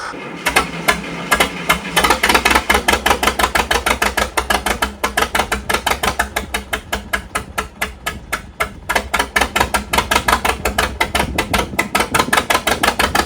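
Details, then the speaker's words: Tractor (Case 966) after sitting outside overnight in rain: sharp uneven pops about three a second with dropped beats, firing on only 2 cylinders; owner suspects moisture in the ignition system, likely the distributor. "only firing on 2 cylinders. What the heck is wrong with this thing? Sounds like a Johnny Popper."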